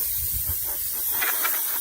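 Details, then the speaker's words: Spray gun loaded with leftover white Raptor protective coating from a 1966 Jeep CJ5 refinish. It gives a steady sharp hiss with brief puffs and no wet spitting; it passes air only and doesn't spray at all. "It doesn't spray at all. Well, that was our test."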